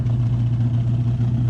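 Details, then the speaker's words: 1968 Dodge Hemi Charger V8 idling: deep lumpy uneven idle with occasional popping, possibly running lean, from a large vacuum leak that prevented idling. "Well, it's idling, but it's got a hell of a vacuum leak. That's why I couldn't get it to idle. It's popping."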